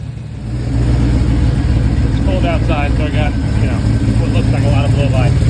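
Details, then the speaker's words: Chevy Nova, morning start: loud, lumpy idle with an uneven low chuff about three or four times a second, one cylinder dropping out; injectors cleaned, computer sent out, new Holley harness, plugs, wires and coil replaced, head previously taken off and checked; cause unknown. "so obviously we're not getting combustion"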